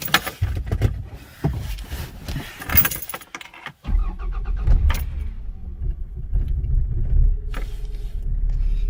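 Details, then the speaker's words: Toyota Camry four-cylinder, customer complaint of low idle when cold in morning, no DTC, coolant 51°F: starter cranks, engine catches but settles into very low labouring idle with no start-up rev flare. "very low rpms we can see there so the rpm are very low very low rpm and we didn't see the flare up"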